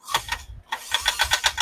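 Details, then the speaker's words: Serger: quick, even chatter of needle and looper strokes at a steady rate, shaking the table, no knocking or grinding; running smoothly and sounding better. "It's so funny. It sounds better. And it's shaking the entire table because it's running on all cylinders."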